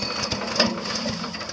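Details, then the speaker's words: Harbor Freight Predator 212cc 6.5 hp chipper shredder, new unit, choke on, fuel on but red kill switch still off: a quick rattling recoil pull turns the engine over but it never fires, so no start. "Oh, failure. Almost."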